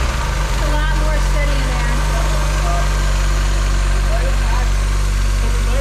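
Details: Mazda Miata with newly fitted engine torque damper, filmed in the engine bay: steady low engine drone with an even beat around four per second, no knocks or rattles; smooth, healthy idle with less shaking.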